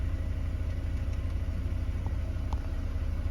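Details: Mercedes W124 220CE coupe, high idle since replacement throttle body, in park/neutral: low idle rumble with uneven pulse about twice a second; lumpy, rough idle, owner suspects MAF or air leak.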